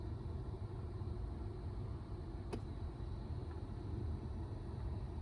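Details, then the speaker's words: 2012 Ford Mustang (S197) after replacing the blend door actuator: a low, even cabin rumble with one soft click as the climate setting is switched, and no popping. The actuator moves cleanly, so the repair fixed the issue. "and nothing it's perfect all right great so that fixed our issue so that's awesome"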